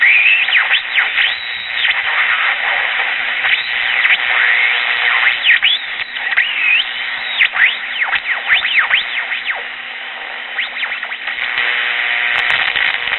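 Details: Early-1960s Bulova pocket transistor radio powered directly, before recapping: station audio smothered by swooping whistles and squeals across the dial; old Japanese electrolytic capacitors suspected, transistors likely good. Oscillation and whistling.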